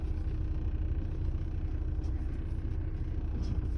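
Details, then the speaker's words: Ford Fusion electric power steering rack after bearing adaptation repair (previously groaning loudly): wheel turned with only a steady low engine rumble, no rack groan or hum, no dash warnings. "serviço está finalizado o carro tá pronto para ser entregue para o cliente nada de barulho"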